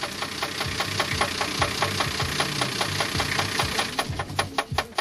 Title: Стучит двигатель - покатушки